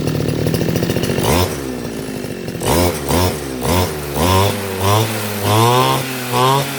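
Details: RBC411 two-stroke brush cutter that would not start, after carburetor cleaning: idles unevenly at first, then takes short clean throttle blips that rise and fall crisply; engine now runs properly.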